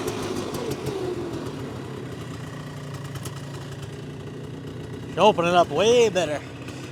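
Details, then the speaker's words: 2001 Polaris Xplorer 250 4x4 two-stroke quad in high range, straight gas with working oil injection, after earlier bogging: steady buzzy drone, then sharp rising revs climbing cleanly without bogging; normal full-throttle acceleration. "actually had full power there"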